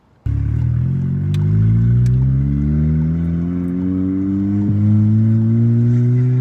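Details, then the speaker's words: VW MK7 GTI under full-throttle acceleration: rising engine note stumbling unevenly from misfires, fine in normal driving; ignition coils tested with a multimeter, fixed with new coils and Denso IKH24 spark plugs. "here I've had some misfires going on with my car under Full Throttle acceleration um under normal driving conditions it's been pretty de decent actually"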